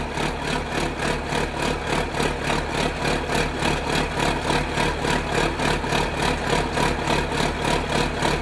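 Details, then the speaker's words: Diesel engine restarted after jacking the cab and reinstalling a keeper-bolted pin and panels; deep, even chug at steady idle, regular pulses about three per second, no knocking or rattling; sounds fine. "I think we're good. I'm going to run it around a little bit this morning."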